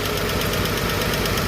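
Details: Chevrolet 235 Blue Flame six at idle, ticking began after a 10–15 mile drive: light, quick ticking over steady idle from the top of the engine, one lifter/rocker. Valve train ticking.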